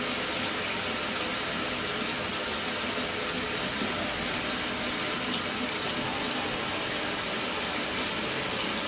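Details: Mira (Zora) shower after replacing the faulty solenoid valve that made flow stop and start intermittently a few minutes after switch-on: steady, even rush of water with no surging or cutting out; healthy flow after repair.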